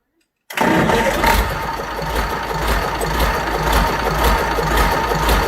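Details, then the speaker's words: Fordson Major tractor with a Perkins V8 diesel, first start after a long time with a rope throttle: it fires straight up after a quiet start and settles into a steady, even, clean idle. It runs and drives. "There we go, she runs and drives."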